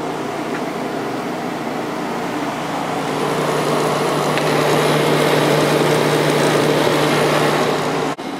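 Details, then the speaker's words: Fedders 7500 BTU window air conditioner on low fan, compressor started after a heater tripped the thermostat: a steady, even hum. It is quieter than the other unit even though its condenser coil was fully blocked with dust when acquired; it runs smoothly. "I'll start the compressor now and you can probably hear what I mean about this one being quieter than the other one this is on low speed right now"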